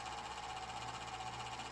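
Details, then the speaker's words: Small cooling fan on a Golden Tee Fore arcade board on the bench, previously oiled: steady high whine with a wobbling, rough buzz underneath; worn dry bearing, owner plans to oil it again. "that fan is atrocious I'm gonna have to fix that as well I'll just oil it again"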